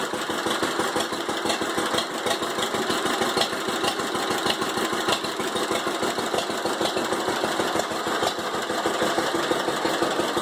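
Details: 1945 John Deere H tractor with a bad starter, first start after 20+ years sitting, carburetor and magneto cleaned: loud steady run, even beat about three per second holding rhythm; normal running.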